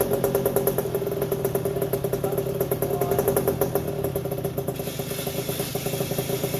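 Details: 1981 Yamaha YZ80H two-stroke, first start after engine overhaul with new seals and top end: crisp idle with a steady mid-pitched squeal that goes away when the clutch is pulled; a gearbox cog was running dry and the squeal stopped once the bike was tipped to oil it.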